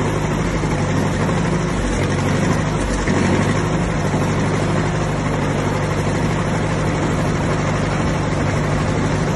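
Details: 1959 Massey Ferguson 85 tractor, first run in five years after new points, cleaned carburetor and new solenoid; steady, even low rumble with no misses or knocks, running smoothly.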